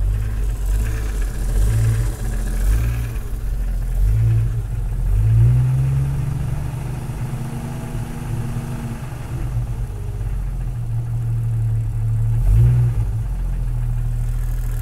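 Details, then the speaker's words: 1997 Jeep XJ cold start: dull, uneven low knock at idle, slightly worse on two quick revs; owner suspects piston slap. "also forgot to mention, or at least show if I rev it, the noise pretty much goes away. Oh, I guess it does get a little bit worse."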